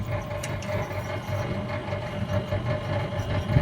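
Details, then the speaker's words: Split AC outdoor unit running after compressor no-start repair where a wire was the fault: steady low hum with a constant mid tone, no clicking or cutting out; gas charge okay, running normally. "and you see now this machine is also is working very nice this gas is gas is okay everything is okay"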